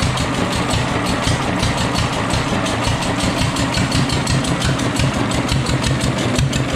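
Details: Fully restored, disassembled and rebuilt Deutz stationary engine: a steady, even chuffing beat with a solid low rumble and no knocks or misses; the engine is running cleanly and healthy.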